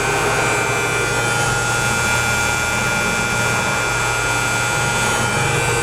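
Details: M816 military 5-ton wrecker with air-over-hydraulic brakes, diesel idling with air in the system; pedal goes to the floor and a constant loud hiss of escaping air is heard, no outside leak found, cause unknown.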